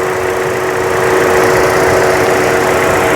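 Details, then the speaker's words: 2014 Buick Encore 1.4L turbo after valve cover replacement: a smooth, even idle with a steady hum and no squeal, hiss or stumble. Crankcase vacuum is down from 5 in to about 1 in with no leak, and it runs much better. "runs much better now I got to change the oil looking at the vacuum on the crank case now it's around 1 in of vacuum before it was five and there's no leak"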